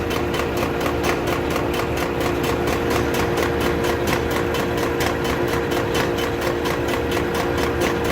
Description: I had about 53k miles on my 08 tundra and had a ticking noise start when 4WD was engaged. It was intermittent and only going forward.